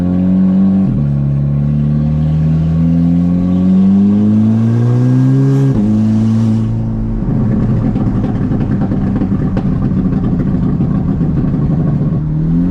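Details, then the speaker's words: VW GTI on test drive after fixing random and all-cylinder misfires, aluminum intake manifold without runners: engine pulls cleanly, pitch climbing smoothly through gears; normal acceleration. "And things were running great. I had absolutely no misfires, no transmission slipping."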